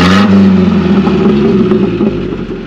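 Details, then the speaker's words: Classic Nissan 720 pickup, manual, after flushing water from the fuel and a tune-up: smooth even low idle around 550-600 rpm, no knocks or misses; runs healthy. "So as you can hear, we actually have that nice low idle like you want with a manual transmission vehicle, probably in that 550 to 600 range. It's very smooth."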